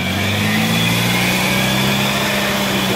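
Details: Wheel bearing heard through a ChassisEar electronic stethoscope clipped at the wheel: steady low hum with faint high whine and hiss, compared to a near-silent other channel.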